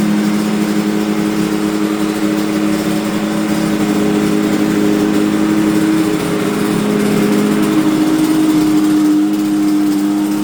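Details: Yamaha TZR250 3MA two-stroke that wouldn't start, running after old fuel was drained from the carb bowls: crisp, steady buzzing note with even blips, no stumbling; running healthy.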